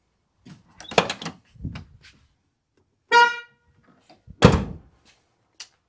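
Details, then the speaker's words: Ford OBS truck horn test: a short, thin, high-pitched beep with no deep tone under it; the low-tone horn is dead, only the high one sounds, before replacing it. "And the reason I need that access is because the low tone horn doesn't work."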